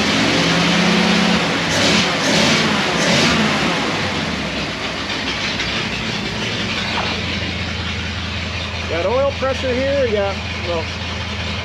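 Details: 1937 Ford flathead V8 (59 AB) running through new straight-pipe dual exhaust with a freshly recored radiator, first cold start after reassembly: a loud, open burble that idles evenly and rises cleanly when blipped, no knocks or misses, much louder than expected; runs normally.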